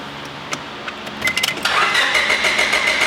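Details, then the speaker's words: 2003 Honda Civic EX, fuel pump relay removed to relieve fuel pressure before pump replacement: a few clicks, then the starter cranks at about three chugs a second but never catches; no start because no fuel. "just like that notice it didn't start because the relay's out"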